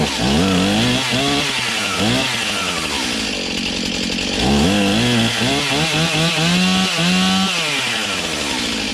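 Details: Serviced Stihl MS291 chainsaw with 20-inch bar cutting a roughly 12-inch log; the engine bogs slightly and recovers as it bites, pulling through each cut cleanly. It cuts well under load, with high and low carb adjustment possibly tweaked later.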